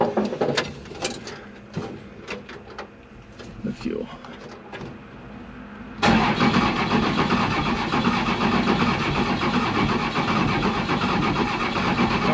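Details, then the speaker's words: 1990 non-intercooled 12-valve Cummins diesel truck, fuel pump newly wired: clicks and handling, then it catches and settles into a steady, even clatter; running good, normal. "all right we are started up yes sounds like it's running good"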